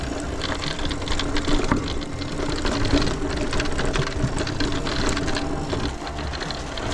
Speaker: As you can hear, this bike does rattle, and I have seen that on other people's videos where they brought it up about the rattling, and it's coming from around the motor, and it's not affecting the ride quality at all. It's just really noisy.